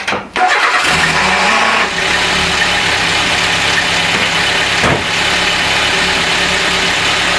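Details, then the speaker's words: Renault 11 GTL, being recommissioned after fluid changes and started to warm up and check charging: engine catches, but a whirring drone stays over the idle because the starter stays engaged on the flywheel after start. "le bruit qu'on entend après le démarrage ça c'est le démarreur qui reste en prise sur le volant moteur"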